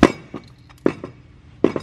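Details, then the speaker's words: Hot-rod Honda Civic transaxle, twin-disc clutch and LSD, damaged at the track, turned by hand with irregular metallic clinks and clunks from loose metal pieces rattling inside the case. "Yeah, that's some rattling. There's some rattling inside here. That's the sound you don't want to hear."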